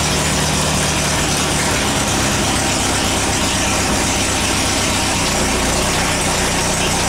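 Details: Air-cooled VW after transmission work: steady engine clatter, gears meshing cleanly through all four forward gears and reverse with no crunch or grind.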